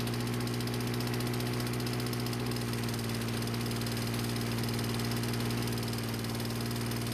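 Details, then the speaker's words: Lawn-Boy mower after brake cable replacement, first flooded and then cleared: steady, even small-engine drone with no misses, surges or knocks; normal running. "no I didn't make a mistake by flooding the engine when I was taking off its stand when I was filming it but it did eventually clear up and everything worked like it was supposed to"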